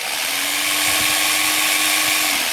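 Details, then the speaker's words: Philco All in One PR2 food processor that would not turn on, now tested with switch bypassed and safety lock eliminated, on low speed: even, steady motor hum at one pitch, then winding down when switched off; runs normally. "a beleza agora vamos colocar na velocidade máxima para vocês ele funciona tudo normal aqui"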